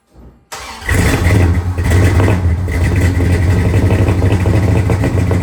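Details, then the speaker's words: 1970 Dodge Charger after fuel pump refitted, first run in at least 18 years: cranks, catches and settles into loud, lumpy idle with slight uneven beat; mild misfire. "It sounds pretty good. It's got just a slight misfire to it, but not bad for not running in 18 years."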